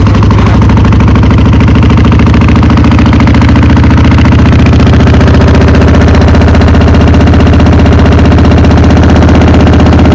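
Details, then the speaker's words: V-twin motorcycle not run for a few years, cold-started on choke: loud, lumpy beat at about three to four pulses a second with an uneven rhythm; running a little rough, owner expects it to clear. "Perfect, you can tell it's running a little bit rough, but I'm sure it'll clear out with some more fresh fuel, a couple of rides. It should be good."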